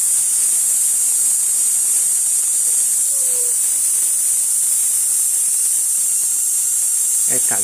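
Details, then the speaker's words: Tesla/Oudin coil with negative grounded: steady harsh hissing sizzle with ragged crackle. The spark gap is not yet adjusted, so the discharge sounds distorted; it now comes out hotter than at first. "Bueno, todavía no está graduado, ¿eh? Que se escucha como distorsión."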